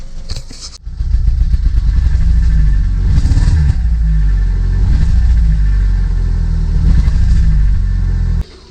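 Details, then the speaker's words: Audi A2 1.6 FSI petrol, cold, with EML light on: a gentle low-rev throttle blip gives an uneven, stumbling beat. Misfire only at low revs on light throttle, clean above 3,000 rpm but losing power; later traced to injectors and coked inlet valves. "can hear the misfire there it's only at the lower abs when you first split the throttle and once you get above 3,000 revs it seems to rev away cleanly but it's still losing power"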